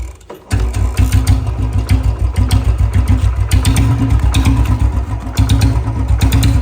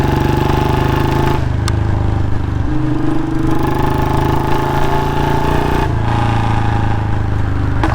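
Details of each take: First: Royal Enfield Bullet Standard 350 after the exhaust sound leakage at the pipe was fixed: the single fires straight up and settles into an even, steady thump of about seven beats a second, with no puffing or ticking; normal idle. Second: Royal Enfield Bullet Standard 350 single-cylinder, before repair: steady thump with a sharp puffing tick on each beat, louder than normal; exhaust leaking at the front pipe joint, new packing to be fitted.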